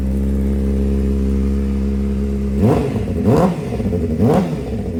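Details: 2007 Honda CBR600RR with a full aftermarket exhaust: steady idle and throttle blips with a light metallic clatter. Suspected header tick or cam/timing chain rattle. Unconfirmed.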